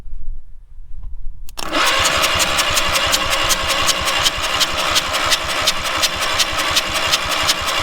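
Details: Two-cylinder engine on a free trailer-mounted man lift, water blown out of a cylinder after water in intake, kill wire cut off; starter spins engine at steady even rate, nearly three beats a second, but it never fires.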